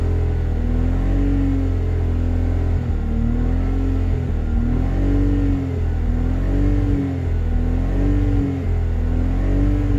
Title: BMW Z3 2.2i M54 misfire emissions check 2